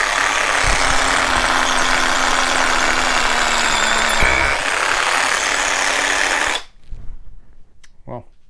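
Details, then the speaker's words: Cordless hammer drill on 4.0 battery drilling concrete: fast steady rattle, then pitch sags as the bit loads up before cutting out; sounds fine unloaded but loses power once drilling, cause unconfirmed. "This thing here, no worky. It sounds good, but as you start to drill, it kind of changes its mind."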